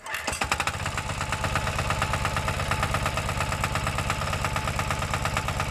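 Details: New KANTO KT-DP30H 3-inch diesel water pump, pull-start single-cylinder, just started: even, steady thump with no knocks or misses; normal idle.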